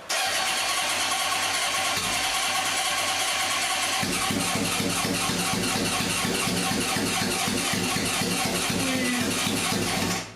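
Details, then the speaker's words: Barn-find 1978 Honda CB750K with a freshly rebuilt engine, first start attempt using a makeshift choke: steady rhythmic starter cranking that never catches. It is close to firing, more fuel is given, and a float bowl fuel leak is later found. "Try without choke. I'm gonna give it some more fuel. It's so close. It wants to go."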